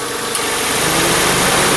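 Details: 2003 Honda Civic 1.7, in for no A/C and warm air from the vents, after repair: the engine idles with a smooth, steady hiss and hum and no clicking or cycling, and the A/C compressor runs evenly.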